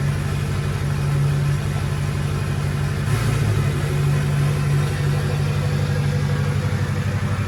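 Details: Ford King Ranch truck, 6.0 Powerstroke V8 diesel with stage 2 cam, high-rev valve springs, O-ringed heads, KC stage 2 turbo, one-piece up-pipes: steady, deep clatter at an even idle after a cold start, no knocks or misses; running smoothly.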